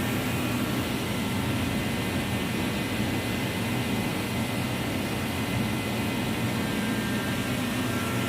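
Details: Reddy Heater Pro 150 forced-air heater after nozzle cleaning/replacement and new fuel lines, previously failing to start: even, steady roar of fan and flame with no surging, sputtering or popping; running normally.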